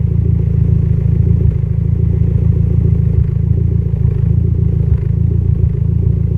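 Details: Mitsubishi Evo X at idle: low rumbling idle with uneven pulses and occasional stumbles; lean idle misfire, cause unconfirmed.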